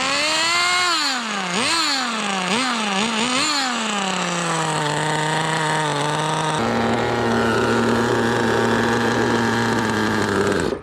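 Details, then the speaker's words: Kyosho Pure Ten Alpha RWD Ford RS500 GX15 nitro engine, test run 2 after body vents drilled for cooling: high buzz revs unevenly, stumbles and cuts out as it loads up rich; carb leak seen, owner suspects air leak causing rich/lean swings. "Yeah, so it's getting so rich that it just dies on its own. Okay, let's... Oh, there we do have some sort of a leak in the carb."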